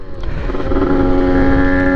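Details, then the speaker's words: Honda NSR80 two-stroke after head gasket replacement (fixed wet combustion chamber, stalling, high idle after full-throttle running): steady buzzing note at even pitch, then a quick clean rev blip; running healthy. "はいホッドガスケット抜けたわなぁ多分間違いないですねかなりで調子良いですよ"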